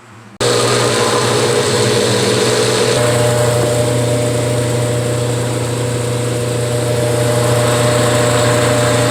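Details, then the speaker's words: General Electric top-load washer on spin after removing the transport rod the installer had left in: a smooth, steady motor hum with no knocking, rattling or scraping, so the earlier noise is gone. "Bueno, ya he parado la lavadora y como pudiste observar o escuchar no está haciendo ningún ruido."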